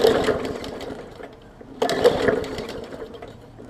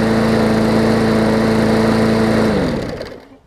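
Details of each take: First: 2014 Bolens push mower, Briggs OHV engine, leaky carb needle and seat, fuel line clamped: repeated pull-start bursts every two seconds, coughing without catching; heavily flooded, spitting fuel from carb. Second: 2014 Bolens push mower with Briggs OHV engine, after fitting the correct spark plug and replacing the missing carb jet ball plug: steady, even drone at constant pitch, no misses or knocks, smooth wind-down at shutoff; runs well.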